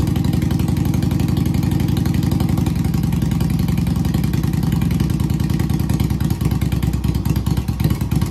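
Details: Project motorcycle on its first crank, fed gas from a bottle through the fuel pump: low, lumpy twin-cylinder idle with slight unevenness that keeps running on its own. The engine seems basically good.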